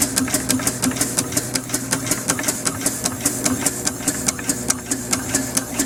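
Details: Homemade steam engine built on a Villiers two-stroke crankshaft and flywheels with a bronze cylinder, running on only 10 psi: crisp, evenly spaced exhaust chuffs about five a second over light mechanical clatter; running normally.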